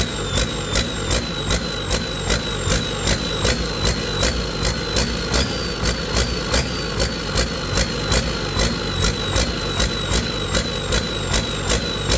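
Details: Detroit 40 series generator turbo diesel (rebranded Navistar DT466, possibly DT530), sat outside 5+ years, after bleeding injectors: quick regular surges about 2.5 a second at no load, never settling, throttle going back and forth; governor suspected, unconfirmed.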